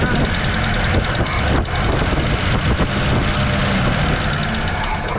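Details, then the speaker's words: 1970.5 Ford Falcon V8, thought to be about 56,000 miles, run after sitting 28 years in a junkyard: loud, rough running, then stumbling and dipping as it fails to pick up fuel; owner suspects a dead fuel pump causing fuel starvation. "She's not grabbing this though. Maybe the fuel pump died."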